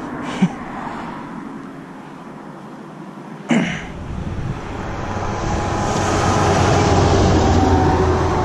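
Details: E30 with 2JZ engine swap: after a couple of sharp clicks the engine catches and swells into a loud, rough, rising roar in the engine bay. The source of the noise is unknown.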